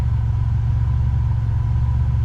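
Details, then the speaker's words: A/C compressor clutch after repair, engine idling with A/C on max: steady idle with no clicking, squeal or grinding from the motor or clutch. Vent air reaches about 40 degrees and the clutch cycles; operating normally. "don't hear any noise from the motor or the AC clutch oh dude she's hit 40."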